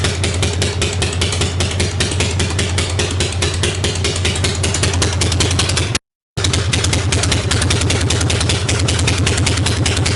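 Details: 1965 Harley-Davidson Panhead after a new cam and cam bearing, pushrods, hydraulic lifters, carb work, ignition timing set and a new coil. A loose, lopey V-twin idle with even firing pulses, healthy normal idle, though generator voltage reads erratic.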